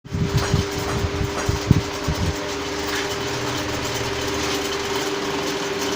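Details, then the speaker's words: Pedestal fan running: steady hum with uneven knocking rattle in the first seconds. "जैसा कि दोस्तों आपने देखा है कि पेडेस्टल फैन में एक तरह की आवाज हो रही है तो यह आवाज़ क्यों हो रही है और इसे कैसे दूर किया जा सकता है"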